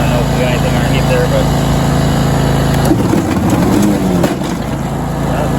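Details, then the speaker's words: Used John Deere LT190 lawn tractor, 476 hours, low on oil and leaking oil: engine fires right up and settles into a steady, even low drone with no knocks or misses; runs good. "Fires right up, runs good. Everything turns on and off."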